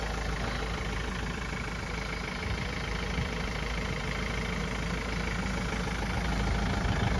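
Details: Renault Master diesel van at idle during its pre-departure inspection, with no leaks: a steady, even clatter with no misses, knocks or surges, so the engine sounds healthy.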